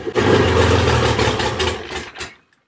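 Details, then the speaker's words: Classic Marcos Coupe GT V6, first start after saving it and a cleaned fuel tank, no exhaust and no coolant: catches and runs loud and rough about two seconds on choke, firing on all six, then dies as choke comes off early. "but she lives she's alive she's running so there you go guys"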